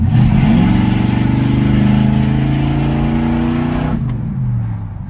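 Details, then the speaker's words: Willys hot rod small block V8 after retuning the timing, which had been 25° initial and 40-45° total: the revs climb quickly and cleanly with an even rising note, no stumble, then drop back smoothly off throttle. ">> It's revving It's revving up a lot faster, do you hear it?"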